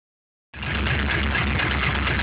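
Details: LS1 aluminum V8 from a C5 Corvette, on 10W-30 conventional oil, cold start: catches to fast cold idle with dull low rhythmic knocking; owner suspects piston slap, unconfirmed; engine runs strong with no leaks or smoke.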